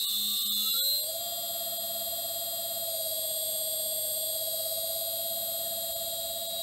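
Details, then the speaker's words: New replacement three-phase motor on a shaper, run loose on the floor from an inverter (VFD) set from 16 Hz up to about 50–80 Hz: whining tone climbs quickly, then holds steady and even; runs smoothly, slightly noisier than the ABB motor. "A little bit more noise off it than the ABB"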